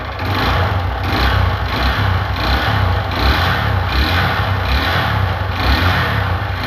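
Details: Honda Fan 150 motorcycle: loud, harsh mechanical clatter over a steady idle with a pulsing beat about once per second, linked to poor oil-change upkeep; the cause is not confirmed.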